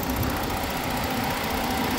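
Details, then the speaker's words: Ford car cooling fan module test at idle with AC on (fan control voltage dropped 12 to 8 V, lower voltage means faster fan): steady airy whoosh over even idle, no ticking or rubbing; fans running normally. "you hear the noise the phone work why because I put the AC on"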